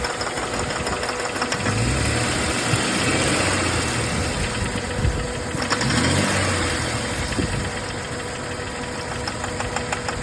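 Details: 2004 Jeep Grand Cherokee WJ 4.0 idling: steady, light ticking about three per second over the hum; owner asks what the knocking is, cause unknown, and suspects smoke comes from the intake manifold gasket.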